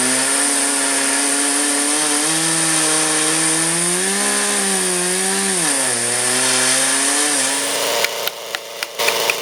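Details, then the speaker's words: Chainsaw on a Holzfforma mill with winch, trimming a short, large-diameter red oak into a cant: the saw screams, then its pitch climbs and dips in waves during the cut; the operator struggles to hold the correct rpm. "But I'm having a little bit of trouble maintaining the correct RPM. You can hear it increase tremendously."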